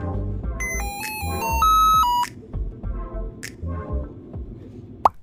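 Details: Lenovo ThinkPad X1 Yoga at power-on, black screen, rapid run of clear electronic musical tones: boot error code for a display fault; fix by reseating the display cable, else replace the LCD panel or system board.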